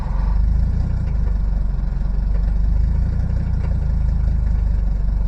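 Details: Cold start in Texas winter after two glow plug cycles, diesel (tractor, Mercedes 300D or Detroit two-stroke) with a cylinder that had been dropping in and out now caught: deep, steady idle with even beat, all cylinders firing while warming; normal cold idle.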